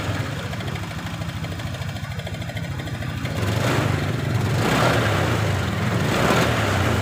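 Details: Honda Beat LED Deluxe scooter that had been cutting out with stored DTC code 7, after clearing codes: even, steady idle pulses, then clean rising revs without sputter or misfire; running normally; loose EOT sensor socket suspected as the cause.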